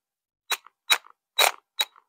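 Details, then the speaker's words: Parkside cordless drill/driver, about one year old, full battery, both batteries tried, LED lights: five short sharp buzzing bursts, one per trigger pull, motor makes odd noise and does not spin, then nothing at all. Motor buzzes but does not spin. "Voilà, elle fait un bruit bizarre. Et elle ne tourne pas."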